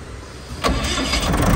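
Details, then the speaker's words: Reconditioned Kirloskar/Deutz HA494 four-cylinder air-cooled diesel, 45 BHP at 1500 rpm, 35 kVA silent genset: quiet hum then engine catches and builds to a steady even run, no stumble or vibration; clean start. "हाथ से जटर start हो चुका है दोस्तो देख सकते हैं आप एसी इंडिकेटर जल चुका है सारे मीटर में लाइट भी जल रही है कोई वाइब्रेशन नहीं मिलेगी आपको किसी भी टाइप की"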